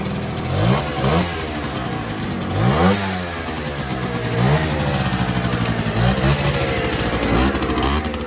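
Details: 1959 NSU Quickly 50cc two-stroke chopper moped, owner worried it may run a bit lean: crisp blips climb and fall cleanly through the revs without bogging or stutter; pulls freely and sounds healthy.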